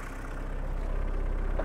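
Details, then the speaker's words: 1.6L turbo diesel heard outside the car idles with a deep, slow rumble, idle noticeably low before high-idle adjustment. "and this is what the inside of the car is like you can uh probably see my dashboard shaking and just kind of hear just hear the rattles for a second okay and then imagine it being like cold and it rattles all way worse because it's actually idling even lower"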